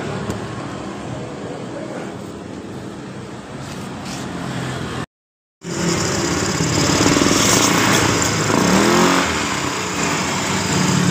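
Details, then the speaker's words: Honda Beat eSP CVT after the roller housing and rollers were replaced; the earlier rough clunking came from heavy loads and rare servicing. Now a smooth, even drive whirr rises cleanly with throttle and there is no rattle or knocking, so the CVT sounds healthy. "setelah kita mengganti di bagian dari antara eh rumah roller dan rollernya suaranya ini langsung suara halus"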